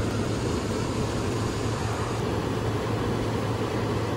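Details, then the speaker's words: Lennox XC20 variable-speed HVAC unit set to full capacity, ramping up slowly, amps creeping up then steady around 2.4 A: even steady air rush with low drone at lower motor speed, no knocks or surging; normal blower operation. "And it's a variable speed, so it takes a while for it to come on, catch up to the speed. You can see the amps are creeping up a little bit. It's gonna give it a little bit. You can see how the amps are increasing. You can probably hear the lower motor speed as well."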